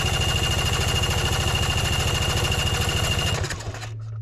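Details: Vespa PX scooter after a brand-new carburetor swap: steady rapid cranking chug, about three beats a second, never catches or fires before stopping; no spark, CDI supply cable disconnected.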